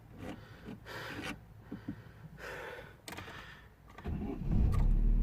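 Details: 2009 Vauxhall/Opel Astra H 1.6 petrol after repairing a P0685 crank no-start: brief clatter, then it catches at once and settles into an even, steady idle; normal start.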